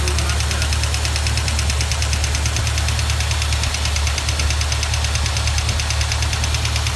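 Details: 1973 Plymouth Duster with 360 V8 built about 25 years ago, idling cold: a light, sharp clacking tick steadily over the low rumble. A sticking hydraulic lifter shows on a non-rotating pushrod, and the noise stops at full operating temperature.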